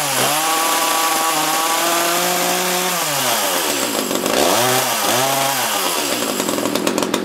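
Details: Echo CS-330T top-handle chainsaw that had not run in years, test run after a carb inspection: revs up to a cleaner note but the pitch wavers and dips unevenly; old gas suspected; rough running.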